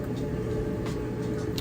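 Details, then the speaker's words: Amana electric dryer running with no exhaust vent connected, so louder than when vented outside: steady low hum and even drum rumble with no knocks or squeals; normal running. "first thing I'll say is uh there's no vent on the back so you can hear it pretty loud but once you get your vent hooked up that goes outside your house it's almost virtually quiet at that point"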